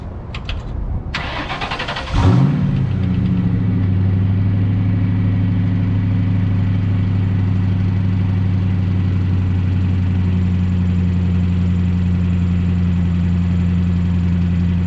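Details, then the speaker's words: 1998 Ford Mustang GT 4.6 V8 manual, stock exhaust, cold start cranks, flares, settles to deep idle with faint bearing noise; throwout or pilot bearing, noise goes away when clutch pressed. "That noise that you hear is the throwout bearing or the pilot bearing, one of the two, because as soon as you press on the clutch, the noise goes away."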